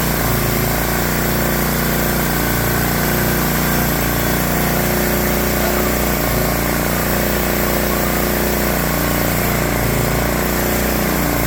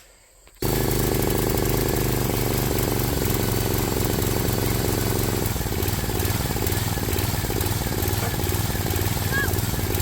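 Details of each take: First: Swisher 7 hp Briggs & Stratton log splitter engine after carburetor cleaning for surging and rough idle: steady, even idle with a smooth low drone, no hunting or surging; runs normally now. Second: Briggs & Stratton 7 hp Intech single-cylinder on a Swisher 22-ton log splitter thumping at idle, beat slowing and picking up, a hunting, surging idle; dirty carburetor suspected, cleaning planned, cause not confirmed.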